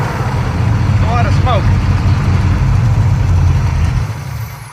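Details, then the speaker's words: 1971 Pontiac T-37 V8 revived after 38 years stagnant, fed by an electric fuel pump mounted near the tank. A rough, lumpy idle with a loose, uneven beat sags and dies while the carburetor pours gas everywhere. Fuel leak from the carburetor. "why was it dying I don't know is there fuel in it yep Oh wait wait wait wait wait wait wait it's pouring gas everywhere"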